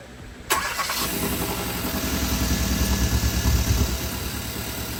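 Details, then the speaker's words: 2014 Hyundai Veloster Turbo engine after it was removed again, repaired, cleaned and refilled with new oil: it catches at once and settles into a steady, quiet idle with no knocking or ticking; the owner is unsure whether the car has a muffler. "It sounds good. Quiet the engine, but I think this car got a muffler because So, I'm not sure if that's a muffler or what it is. I need to make sure about that. But engine wise, really quiet."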